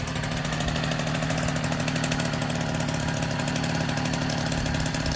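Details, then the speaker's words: 1964 NSU Quickly S23 3-speed two-stroke moped, first start after engine rebuild; steady idle with an even crackle, no misses or knocks, healthy. "This is my first 3-speed engine rebuild. And it's popping like a Swiss."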